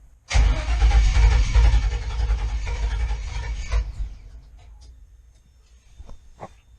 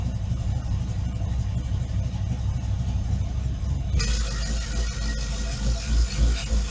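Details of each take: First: GM engine with Fitech loaded intake manifold and factory GM computer tuned via HP Tuners: fires and runs roughly about three seconds, then revs sag and it dies, second stall after start without throttle. Cause suspected, not confirmed. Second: GM truck engine with Fitech loaded intake manifold, Fitech injectors swapped for Deatschwerks and tuned with HP Tuners, cold day at -2 and snowing, idles well once warming: deep, steady low rumble, even beat, no misses or surging; normal idle.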